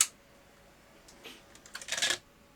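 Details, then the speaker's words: Non-working Panasonic MII-format video recorder with an intermittent power supply, tape inserted: a run of sharp, uneven mechanical clicks as tape loading struggles; owner suspects the drive belts, one seeming frozen from long disuse. "right it's running at the moment uh that sounds like a loading problem"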